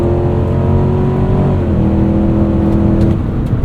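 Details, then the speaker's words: 2025 Cadillac Escalade Platinum 4WD, 6.2L V8, 10-speed automatic, sport mode, 4 High, accelerating from about 55 mph up an entrance ramp at night: deep V8 pulls steadily, pitch drops cleanly at each quick hard upshift; no knocks or whine, healthy normal acceleration. "And this absolutely bangs upshifts. It sounds good."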